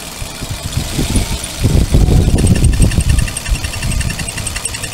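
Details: Petrol Suzuki car with a faint high chirping squeal in rapid bursts over a low idle whenever the clutch pedal is pressed. The clutch release bearing is rubbing on the pressure plate diaphragm fingers.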